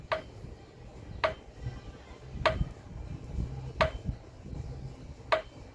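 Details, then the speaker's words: Motorcycle front wheel spun by hand: sharp single knocks about every 1.3 seconds, heard only when the rim turns, coming from the axle area; rough front wheel bearing, suspected bent axle. "Es como un golpe, como un golpeteo, amigos. Pero ese ruido se escucha, amigos, solo al girar el aro."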